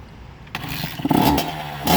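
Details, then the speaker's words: 1988 Honda CR80 two-stroke on 32:1 premix, first run after a top-end rebuild and 12 years sitting. It catches and snaps up through very loud revs with a crisp ring-ding exhaust. It runs normally. "oh wow that is loud"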